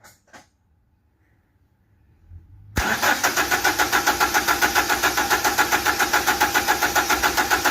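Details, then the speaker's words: 2010 Toyota Hilux 2.7 petrol cranks steadily but never starts after a new fuel tank submersible unit was fitted to fix a dead fuel gauge. The pump is audible in the tank, but the disconnected pipes show no fuel pressure. "Just crank again, Tristan. Okay. Can you hear the pump there? But it's not starting."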